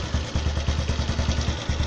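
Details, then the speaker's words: 110 cc motorcycle idling after carburetor adjustment with air screw at about one and a half turns, even low thumping about five beats a second, steady without hunting or stalling; good stable idle. "Nah ini hasil setelan kabilator yang tadi saya peragakan hasilnya begini"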